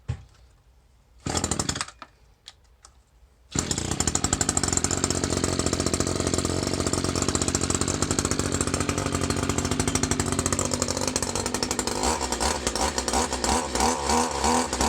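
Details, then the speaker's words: Free Echo SRM 210 trimmer with a new carburetor, choke off, after an air bubble was cleared from the carburetor; catches after a few pulls and holds a steady, even high buzz with no stumbling; runs healthy. "guys she runs like new just had to get an air bubble out of that uh out of that carburetor but you hear that she runs like a dream"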